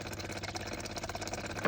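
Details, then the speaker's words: John Deere 1023e diesel tractor accidentally filled with gasoline, key turned partway, engine off: quick even clicks of the electric fuel pump priming normally while pumping gas out of the disconnected line. "hen turn the key part way to listen for the clicking, and you'll see it priming, and that takes the fuel right out of the line for you, no problem."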